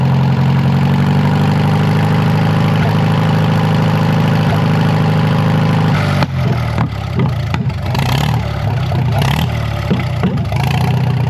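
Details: Narrow-front Farmall M tractor four-cylinder, previously stuck, first run in many years after head work, idling in drizzle: steady, even low thump with no misses or knocks, rain noise later, warming the oil; healthy idle, carb could use tuning.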